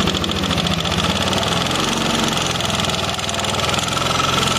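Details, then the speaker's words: First-generation Yamaha NMAX scooter engine: rough "krakrak" rattling clatter over a low hum from idle up to 4,000–5,000 rpm; traced to a worn intake rocker arm. "Ini dari suaranya identik suaranya teman-teman bisa dengarkan secara seksama nih dengarkan dari suaranya krakrakrak gitu"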